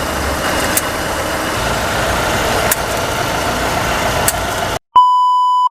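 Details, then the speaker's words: Steady gritty drone with a hollow hum under road noise while driving, traced to a damaged wheel bearing, a cause even the mechanic found surprising for this sound. "ha bunyi tu sebenarnya berpunca daripada Wheel bearing dia yang Dah rosak"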